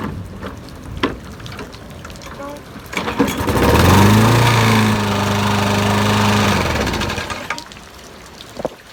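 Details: Briggs and Stratton 5.0 on a 21-inch push mower that wouldn't start, after cleaning the carburetor and checking the plug gap, started in heavy rain: it cranks, catches and runs steadily with an even beat, rain patter behind, then shuts down. Fixed.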